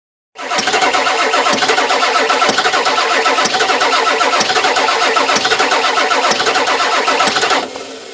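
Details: 1996 7.3 diesel won't start: the starter churns steadily at about three and a half compression beats per second for seven seconds, but the engine never catches. Cranks, no start.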